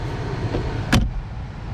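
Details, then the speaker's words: 2015 Honda Civic heater/AC blower fan after fix (previously thumping/vibration), glove box reinstalled: smooth even rush of air, no thumping apart from one brief knock, nice and quiet. Normal blower operation. "let's turn this back on nice and quiet love boxes all back and everything"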